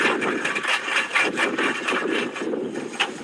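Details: Car, engine off: irregular dry knocking and scraping about twice a second while the front wheel is shaken. The wheel moves badly, which suggests play at the front wheel; the cause is not confirmed.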